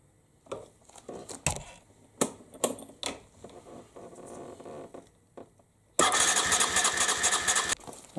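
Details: 1998 Aprilia Leonardo 125 scooter after carburettor cleaning and new battery: scattered clicks then a short burst of steady starter cranking without catching while the fuel pump fills the empty float bowl. Cranking, no start.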